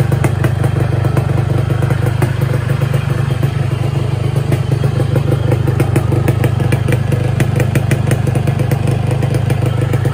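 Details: 2007 Yamaha RX King 135 two-stroke, unused about two years, previously repaired: starts after a few kicks, fast even popping idle with no knocks or misses; engine healthy, clutch stuck awaiting repair.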